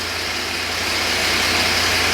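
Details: 2017 Jeep Wrangler Sport 3.6 with a used engine fitted after overheating, codes P0016/P0018, oil pressure under 13 psi, warm idle: loud, busy, hissy clatter over a weak rumble; a dropped cylinder-head gallery plug or engine wear is suspected.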